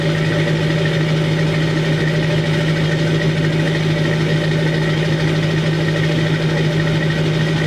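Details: 2002 Chevy 2500HD LB7 Duramax diesel, cold at 5°F on Merchant high idle, with Airdog lift pump, PPE boost valve and resonator delete; deep, even drone held at a raised, steady speed with no misses or knocks. Normal high idle.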